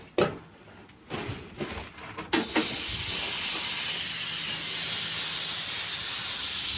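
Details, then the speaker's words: Pressurized air hose on a Makita big bore compressor: after handling knocks, a loud steady high hiss of air escaping past the hose fitting threads, Teflon tape flapping; leaking fitting end. "So as you can hear, there's a lot of air coming out, and you see the Teflon tape? It's actually flapping in the wind."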